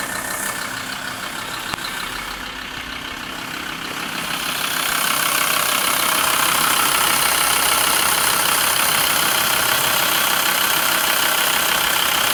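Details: VW LT 35 2.5 TDI (AHD) diesel van, warm idle: steady even tapping about three times a second, also when accelerating, not on overrun; owner suspects camshaft area. New vacuum pump and rod made it quieter but knock persists at idle.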